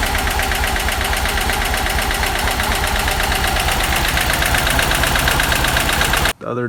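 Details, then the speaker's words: Subaru Impreza GC8 with swapped EJ205: lumpy, uneven idle stumbling about twice a second like a missing cylinder; a compression test found no compression in cylinder 3 (rear driver's side). "so my friend we decided to look at or we decided to do a compression test and notice that cylinder 3 or the cylinder at the far back driver's side"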